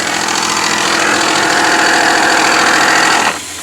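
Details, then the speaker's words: 1959 Chevy Biscayne with a pushed-back radiator support and bent fan guard: a steady scraping hiss over the running engine stops at once when the guard is pulled back; pulley rubbing the fan guard. "so you hear that noise and watch this i'll pull it back"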